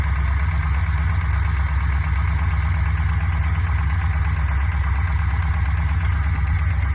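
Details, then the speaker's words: Fuel-injected Corvette V8 at idle with a modified cut valve cover fitted: light steady ticking about three per second; tick traced to cylinder three, suspected excess exhaust valve lash. "well they all sound the same they're actually kind of noisy black into all of them"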